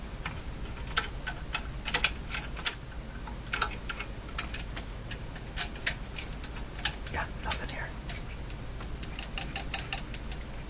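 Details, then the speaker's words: Philco 49-501 Boomerang radio, circa 1949: irregular sharp ticks and crackles over quiet hiss, not volume-sensitive; intermittent ticking noise. "I'm tapping my bench and it start a lot of strange sound coming out of it there not from this it's going away"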